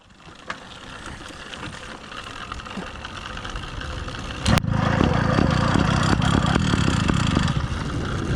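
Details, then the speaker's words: Replacement Phantom 85 two-stroke motorized bike, ceramic-lined cylinder, breaking in on 32:1 full synthetic mix, 36-tooth sprocket: engine catches and idles with rough, loose rattle over firing beat; owner first suspected rich mixture or timing, cause was engine mount. "for those of you with good ears you're correct that's a rough sounding rattle and this was driving me crazy for the first two days which i couldn't even figure out until i was at the campsite examining the bike closely"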